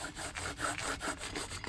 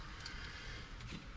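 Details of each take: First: Wheel bearing just removed from a 2003 Ram 1500, spun by hand: rough, gritty, uneven grinding. The truck had been grinding underneath while driven. Replaced with a new smooth bearing. Worn wheel bearing grinding. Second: 2003 Ram 1500 wheel hub with new wheel bearing, spun by hand after replacing a grinding bad bearing: quiet, even low hum with no grinding, rumble or clicking, how a good bearing should sound.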